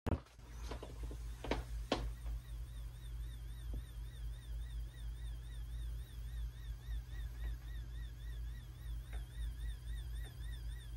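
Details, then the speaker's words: Seagate 6TB Expansion Desktop Drive in sleep mode: thin warbling high-pitched coil whine over a low hum from its power supply, occurring only in sleep and disappearing when the drive is in use. "however this one when it sleeps we get this very annoying headache and it's coil wine coming from the power supply only when in sleep mode"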